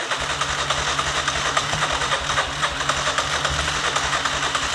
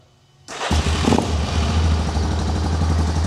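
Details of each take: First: ATV with a no-start, starter button pressed with the brake held: steady cranking at about 3.5 beats a second that never catches, with only a very faint cough when throttle is given. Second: ATV started after its carburetor was cleaned, the battery charged for a couple of hours and the petcock turned on, with the air filter still off: it fires after a short crank and holds a smooth, steady low idle with no misses; running normally.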